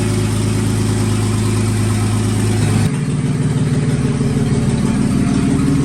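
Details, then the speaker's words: 1954 Fargo half-ton flathead six idling after new piston rings and valve adjustment: even, steady idle that settles lower partway, no knocking or tapping, healthy, good oil pressure. Float height issue noted; owner thinks water pump needs replacing. "we got a good running motor now we're going to run it a little bit more before we do an oil change and get that done"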